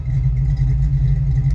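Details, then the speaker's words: Fox Body Ford Mustang V8 with no aftermarket cam: lumpy loping idle like a big cam, code 34 EGR position; EGR valve stuck open by carbon. "so i got my cell phone here but as you can tell this thing sounds like it's got a camshaft"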